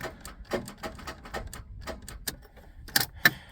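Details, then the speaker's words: 1997 Dodge Grand Caravan SE, about 167k miles, sat 4+ years: starter only clicks irregularly, engine doesn't crank; owner suspects seized engine or weak starter power. "we've got just over half a tank of gas set that back and and the motor sounds stuck because the starter is engaging it oh unless the starter's got no power like not enough juice to do it"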